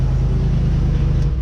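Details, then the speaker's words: Land Rover's rebuilt engine on its first start-up; deep, steady, even rumble with no knocking or tapping, very stable. Normal idle. "no knocking no nothing run sweet um not moving very stable"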